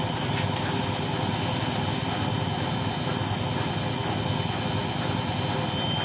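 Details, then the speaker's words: Front-loading washing machine at maximum spin with laundry inside, after refitting the loose top counterweight that had shifted backward: an even airy rush with a faint high whine and no knocking. Normal quiet spin. "Hai ini kecepatan maksimal Alhamdulillah sudah sudah tidak Berisik lagi ya tidak mengganggu tetangga lagi hehehe ini kecepatan maksimal dengan kapasitas cucian di dalam happen Ok"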